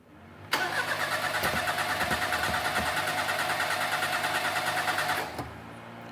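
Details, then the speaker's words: 1988 Daihatsu Hijet mini truck, sat for years, new plugs, wires and cap, carburetor rebuilt: catches, runs ragged about five seconds, stumbles and dies; flooding out badly, kit O-ring possibly wrong size. "let's take that boot off see if it's flooding I bet sh's flooding I mean it fired up and it wants to fire up yeah she's flooded out she's flooding out bad look at that"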